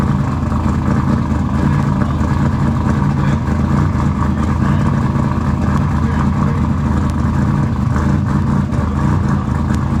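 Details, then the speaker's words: Engine just started after installing RJC V-Band exhaust gaskets: loud, deep, steady exhaust rumble with no ticking or puffing between pulses; exhaust sounds sealed and healthy, normal running. "all right guys as you can tell we got it running she's running can y'all hear it can you hear it is it loud you like that sound okay yeah we like that sound"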